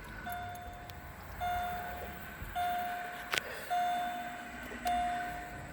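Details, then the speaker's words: 2008 Pontiac G6, key on before starting to check transmission cooler lines for leaks: evenly spaced single chimes about one per second in a quiet cabin; door-ajar warning chime. "Door ajar? Oh, hold on a second. See if I can do this."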